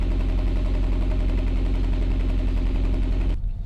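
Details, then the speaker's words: Honda Prelude (H22) idling after valve adjustment for cylinder 2 misfire (30 PSI compression) and new spark plug wires: deep even exhaust pulse, no stumble or skipped beats, formerly sputtering; all cylinders firing cleanly, normal idle. "it definitely doesn't sound like um one cylinder is louder than the other if that makes sense i don't know but the exhaust sounds nice and steady before it used to be sputtering"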